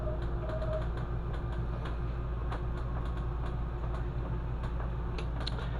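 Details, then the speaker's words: NXG BAL through-frame RV slide-out after lubrication fixed earlier malfunction and vibration: steady low motor drone with light ticks and squeaks from rubber seals rubbing slide sidewalls; normal slide operation. "this is what we have now what it should sound like the squeaking is just from the rubber seals squeaking against the sidewalls of the slide"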